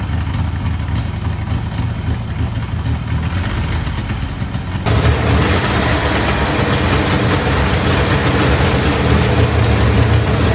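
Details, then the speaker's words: 1964 Chevrolet Corvair barn find, air-cooled flat-six first run after cleaning points and priming carbs: steady even low throb idle, slightly picks up; runs on its own, generator charging; normal idle. "The car is running on its own."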